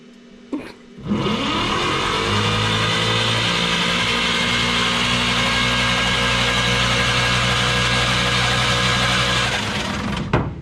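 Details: 1951 Chevy truck that sat for years: steady starter whir for about nine seconds with no firing or catching; cranks but won't start, no spark found at the coil wire afterward. Cause not confirmed.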